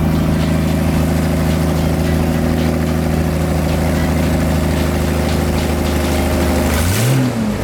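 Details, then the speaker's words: Toyota Cressida MX73, 5M-GE with junkyard 7M-GTE turbo now fitted, first start, car raised in gear: strong, steady note with deep even pulses and a clean blip before dropping off, no knocks or rattles: normal revving. "Oh, that sounded so good. That sounded like a Jay-Z."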